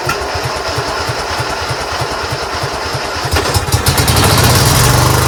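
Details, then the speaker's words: Craftsman GT6000 garden tractor started at 26°F; uneven popping about three beats a second, then catches and revs roughly; runs well only at full to 3/4 choke, stalls past half; owner blames gas left in carburetor all year. "It runs only good when you're at full choke and then 3/4 choke. If you do it any more than half, it wants to stall."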